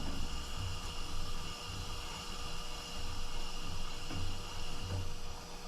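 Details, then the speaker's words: 1960s–70s Hong Kong Ash Flash (Coleman-clone) fuel lantern pressurized to about 25 psi: steady airy hiss with valve open over handling bumps, stops when valve closed; normal fuel flow. "but it stops hissing When I close the valve starts again when I open it back up"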